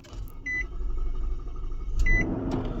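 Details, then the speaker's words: Infiniti QX56 V8 (same as Nissan Patrol/Armada), after starter and battery replaced: long crank, about three seconds without catching, door chime heard; code P0345 camshaft sensor circuit bank 2, traced to a loose camshaft position sensor. "लंबा सलब ले रही है, बहुत लंबा। तो इसको हमने स्कैन कर दिया। स्कैन करने पे कोड इसका आ रहा है ये P0345 cam sensor circuit B."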